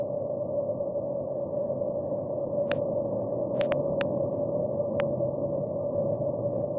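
Steady static-like hiss with a faint constant tone and a few sharp clicks; that even rushing points to a leaking water main.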